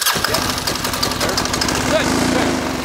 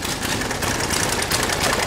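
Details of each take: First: Military diesel Kawasaki KLR motorcycle after fuel priming and timing: rapid, steady diesel chug at light throttle, no misfire or stumble, little smoke; running clean, normal. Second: Military diesel KLR motorcycle just started after priming, air still in the system: rough, uneven idle with ragged knocking clatter; injection pump timing being tweaked by shifting the pump on its slotted holes to steady idle; fuel lines leaking.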